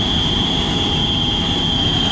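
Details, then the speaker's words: Baldor motor in a kitchen exhaust fan: a steady high-pitched whine rides constantly over the motor hum. Worn motor bearings; the bearings are to be replaced. "sounds like a cry for help got some bearing wine right here we're going to be changing the bearings out on this ball door motor that's inside here"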